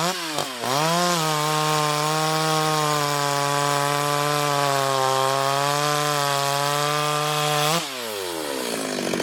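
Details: Ported Stihl 026 chainsaw on shakedown cuts in hard wood: a snappy rev-up to a high steady scream that holds pitch through the cut, then drops cleanly to idle. Normal full-throttle cutting.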